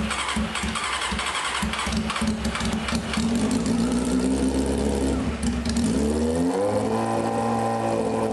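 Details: 1995 Honda CBR F3 first start, wet plugs, fuel spraying, no muffler: loud raw uneven idle, then rising rev that holds; rich running.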